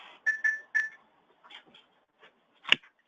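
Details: RFID handheld running TracerPlus mass scanning during a room 3 location audit: three quick, clear high-pitched beeps, then a short quiet spell as tags are read normally.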